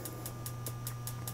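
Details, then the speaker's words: Real Fyre G10/G19 vent-free gas log burner after fresh batteries, both remote buttons pressed: beep then quick even igniter ticks, about five a second, over a low hum, sparking to light the pilot; normal ignition. "we'll depress both those buttons at the same time you hear the beep and then you'll hear the continuing beeping and that's it initializing the ignition sequence it will spark the"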